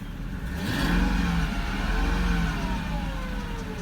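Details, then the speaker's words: 2001 Mercedes S430, about 449,000 miles, believed original engine, check engine light on for unknown reason: very quiet smooth idle hum with faint whir over a brief rev, no knocks or ticks; healthy. "as far as I know this is the original engine you can't even hear it running it's running right now can't even tell that it's running"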